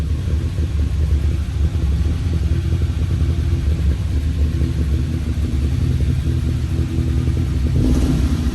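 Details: 1971 Honda 1300 Coupe 9S, air-cooled 1300 four-carb dry-sump engine, first start after 7 years following carb rebuild, ignition cleanup and fluid change: steady deep note with smooth, even throttle blips, no knocks or misses; revs cleanly, oil pressure okay.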